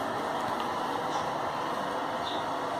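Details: Manufactured-home bathroom exhaust fan running after motor replacement (new motor on bracket, wired like the old one, rewired after a pinched wire arced): steady, even whir with no rattles, grinding or dropouts; normal healthy running.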